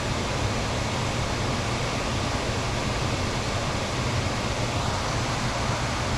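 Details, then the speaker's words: Home HVAC blower with high humidity and constant running, after blower relay replacement: steady, even rush of air with a smooth low hum, no buzzing or rattle, runs about 10–15 seconds and shuts off; normal blower operation. "let it run for about 10 or 15 seconds obviously there's no more buzzing much quieter and it shuts off"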